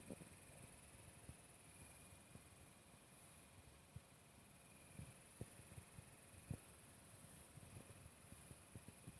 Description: Really loved this Zalman CPU cooler before. But now that the PC is back from repairs (replaced power supply and case) it makes a loud rattling noise.